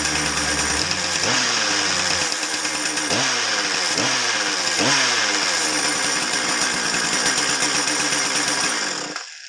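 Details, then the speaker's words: Husqvarna 455 chainsaw with oil in the tank, test-run to check bar oiling: runs hard with revving pulls and a high buzz, engine sounds fine, but no bar oil comes out; the oil pump is inspected next, and clutch problems turn up. "Well, we should have saw oil by now. I guess he's right, it's not oiling."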